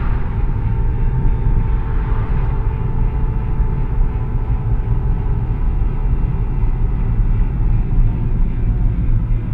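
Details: VW 02T (MQ200) manual gearbox with failed bearing, driven about 50-60 thousand km with the damage: heavy road rumble with a faint steady whine on top while driving.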